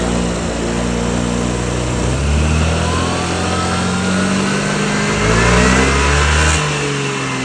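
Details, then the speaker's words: Yamaha Grand Filano scooter after fitting an Alonza tuning box with Bluetooth real-time fuel and ignition tuning that raises the rev limit: smooth, clean blips climbing high and falling back evenly, no misses; normal free revving. "เอ่านี่นะครับเสียงเปิดรอบชัดเจนได้ยินมั้ยครับเสียงเปิดรอบแวดเลยนะครับเมื่อกี้นะครับ"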